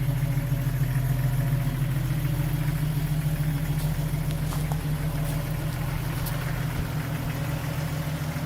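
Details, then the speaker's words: Restored 1995 Jeep Wrangler YJ, 6-cylinder, 111K miles, 5-speed, new complete exhaust system, heard from the rear at the tailpipe: deep, steady idle rumble with even pulses and no ticking or puffing; exhaust sounds good, no leaks. "Here's a listen from the rear. Exhaust sounds good, no leaks."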